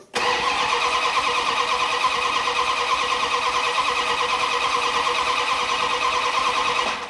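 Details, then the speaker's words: 1972 Dodge Dart Swinger with newly installed engine, starter cranking about three turns a second for seven seconds with no firing; crank no start, distributor reinstalled 180 degrees out. "Distributor has been turned 180 back in the opposite direction. That was my own fault."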